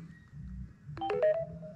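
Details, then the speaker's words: A short chime of a few clear stepped tones sounds in a quiet room on plugging into the USB port of a GOOLOO GP4000 jump starter power bank. It is the normal fast-charging connection signal. "so this fast charges this power bank I got listen to it when I plug it"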